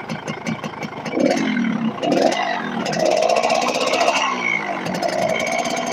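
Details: Yamaha RX King two-stroke ridden on the road, revving up and down; rough rattly clatter riding on the exhaust buzz: worn, loose connecting rod big end.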